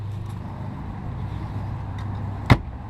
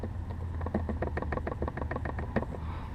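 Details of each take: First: Car glove box after anti-rattle fix with plastic material: steady low engine rumble with one solid thud as the lid shuts, no buzzing or rattle, closes more solid with fewer vibrations. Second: Cabin rattle while driving: quick, uneven buzzing taps over low road rumble as the dash trim rattles against the A-pillar. The glove compartment also jiggles.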